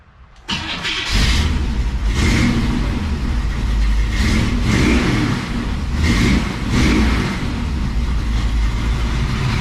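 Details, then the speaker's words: 1957 Chevrolet Bel Air field find, 327 V8 with TH400 and 10-bolt rear, newly fitted Flowmaster mufflers (tack-welded): deep, even V8 burble with smooth throttle swells, healthy leak-free normal exhaust note. "It sounds way cooler with these Flowmasters, I gotta say."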